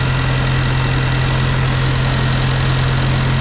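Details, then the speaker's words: Farmall Cub with a new carburetor and in-line fuel filter, which wouldn't run right on the old carb without fiddling with the choke: steady, even low thrum with no misses or smoke; idles smoothly and healthily. "oh he's turning man that sounds good wow it wouldn't even run right with the other carburetor unless I sat there and played with the choke lever"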